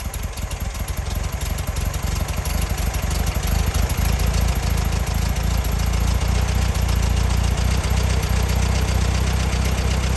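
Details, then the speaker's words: 1968 VW Bug air-cooled engine, out of the car, just after valve adjustment to .006 in and compression tests, plugs refitted: steady, even chatter with a rapid regular beat and no misses or knocks; smooth normal idle. "all right seems to be running pretty smooth so I think we're in pretty good shape with this engine here"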